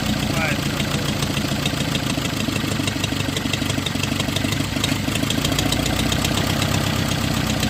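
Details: Neon with SOHC suicide-swap, first start after timing set and sensors and injectors swapped, coolant temp sensor not yet fitted: steady, even idle with a smooth low drone, no knocks or misses; running cleanly.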